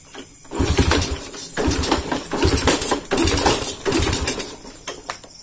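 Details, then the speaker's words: Honda C70 motorcycle with dusty, unserviced carburetor, piston crown bump flattened and cut down about 0.2: runs in uneven bursts with a sharp tapping over the exhaust beat, roughly once a second; knock slightly quieter but persists, cause unconfirmed. "Bunyi dia ni dah slow sikit lah. Aku dah potong sikit piston dia. Bonggol yang tengah tu aku dah kasih rata."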